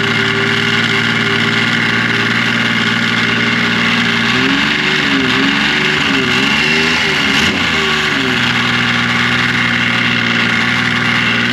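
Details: 2005 Yamaha Vector snowmobile, idling with the cover on: a dry, busy rattle from the primary clutch. This is a known factory noise fault, and the clutch has never received Yamaha's repair kit.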